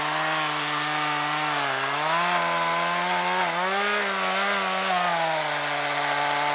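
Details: Chainsaw run on old stored two-stroke mix blended with fresh non-alcohol fuel; strong steady buzzing note that sags and recovers as the chain bites the wood, pulling cleanly: normal cutting under load.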